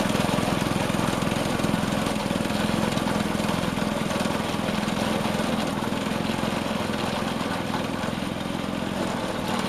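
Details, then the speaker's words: Vintage Craftsman 18-inch snowblower after carb fine-tuning, earlier slightly surging at full rev, driven around at full throttle; small single-cylinder gives a steady, even buzz with no surging or missing; normal running. "Alright, I got it fine-tuned, and we're ready to take it for a spin."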